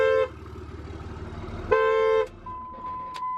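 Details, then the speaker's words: Diesel pickup started with the transmission removed and the neutral safety switch bypassed: two long steady horn blasts sound as the engine starts and repeat on the restart. Owner suspects the missing transmission or security is the cause; the engine runs well with no blow-by. "[Music] oh that's annoying"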